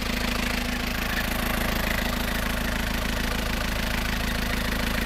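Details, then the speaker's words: Isuzu Panther diesel at idle: steady knock with a faint repeating high chirp from a loose, slipping fan belt, possibly the AC belt; the belt is to be replaced. The engine otherwise sounds okay with no smoke. "ini suara cicit-ciicit ini Mengganggu ya ya itu suara fanbell nanti kita gantiin suara fanbellnya ya"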